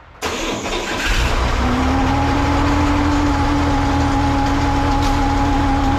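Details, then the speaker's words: 1963 Chevrolet Corvair after fuel system work and reinstalling the fuel pump: engine runs with rough clatter and a steady whine over it; fuel pump push rod stuck in the block, making horrible noise and pump not working. "It can't stay there in the form that it is now because it just makes a horrible noise and it's not working"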